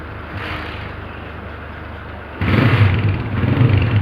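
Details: 125cc motorcycle after a new cylinder, piston and valves were fitted: the single-cylinder idles evenly, then picks up cleanly with a steady beat on a throttle blip. Engine sounds healthy.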